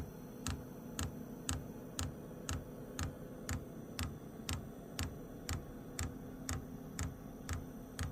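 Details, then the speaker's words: WIPPRO diesel heater after fitting replacement fuel pump the correct way round (had been installed backwards): crisp even ticks about two per second while priming the line with air bubbles; dosing pump pulsing properly, fixing E8/E10 codes. "yeah yeah now it's stting it's starting to work it's going to take a second to Prime itself"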